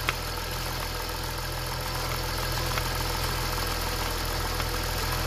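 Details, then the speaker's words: BMW M54 petrol engine at idle that had burned over 1 L oil per 1000 km: with oil cap removed, idle turns uneven, shakes and stumbles as if misfiring; cap lightly sucked down, showing crankcase vacuum, PCV (crankcase breather) sealed and working normally. "go, silnik już zaczyna jakby gubić zapłony, nie będę pracować. To świadczy o tym, że odma jest szczelna, że jest sprawna."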